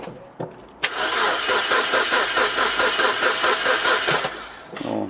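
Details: Imported car cranking after intake camshaft sensor replaced: starter spins the engine evenly about three and a half seconds but it never fires; no start suspected from a mismatched, melted camshaft position sensor connector whose pins don't seat.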